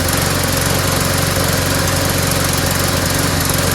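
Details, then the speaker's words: Lawnmower after adding fresh gas: the single-cylinder engine chugs unevenly, missing beats and labouring. It barely starts and then wants to die; owner suspects a valve problem, not confirmed. "all right I just put some fresh gas in it just doesn't sound right now"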